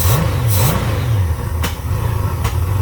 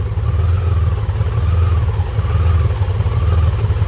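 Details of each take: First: Honda Goldwing GL1500 with rebuilt carburetors, running without the air cleaner after a vacuum leak search, cold day, one adjustment screw set to 1.5 turns out; revs with a couple of sharp pops, backfire suspected from running slightly rich or lean. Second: Honda Goldwing GL1500 idling; with the disconnected air-breather vacuum hose covered, steady low idle with soft rising and falling whistle and no popping; backfiring returns when uncovered, vacuum leak found at that hose.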